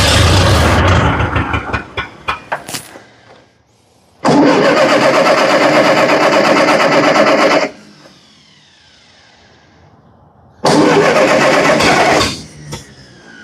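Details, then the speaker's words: 70-year-old Massey Ferguson TO30 tractor, revived after not running: the engine fires and idles steadily for a few seconds, then dies, and a second start does the same. A fueling issue is suspected but not confirmed. "sounds like we got a fueling issue"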